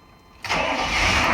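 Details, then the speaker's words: GMC 3500 pickup with 6.5 L turbodiesel, after a dash swap caused a no-start, now fixed by resolving PMD power issue: quiet lead-in, then the engine catches abruptly and settles into steady, even diesel clatter; normal start. "we're back in business okay so i'm relatively pleased with the outcome of that that was hard fought one"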